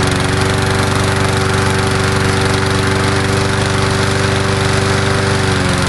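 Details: Murray Dynamark 22 mower, 3.75hp Briggs & Stratton, cold start on fresh gas after sitting unrun about seven years since 2009, smoking slightly: steady, even single-cylinder putter at constant speed without misses: normal running.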